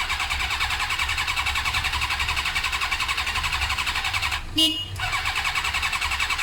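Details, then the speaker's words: Suzuki GSXR 600 cranking on starter with brake cleaner sprayed in: even fast churning about 160 turns a minute, no firing; compression sounds good, no spark. Later fixed by fitting a second-hand original ignition unit with the resistor. "sounds good for my compression point of view I feel like it's not sparking"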